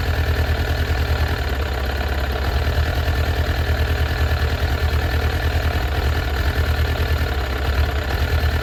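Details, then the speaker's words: Suzuki Katana GSX-F 600 running on full choke, won't run without it: fast, lumpy idle with a missing pulse; unplugging cylinder 4 made no change while 3, 2 and 1 did, so cylinder 4 is suspected dead. "So when I unplugged the number 4 cylinder, I didn't feel any change. 3, 2, and 1 did change."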